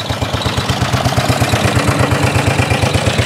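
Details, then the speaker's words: 1930s Dennis Z-type 30-inch lawn mower, revived after points and carburetor cleaning, running on the lawn with a steady single-cylinder low thump of about three pulses a second. It shakes, rattles and occasionally backfires but runs healthy. "it's just pure aggression another word for it absolute pure aggression it shakes it rattled it backfires it does everything a good lawn mower should do"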